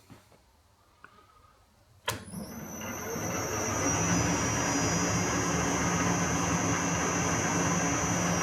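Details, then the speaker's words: Victor lathe started on a new VFD with speed control, after fitting a new pulley and brake drum with the brake band now square on the drum. A click, then the motor spins up smoothly to a steady hum with a faint high drive whine, no knocks or rubbing; it functions well. "bake so everything's functioning beautifully"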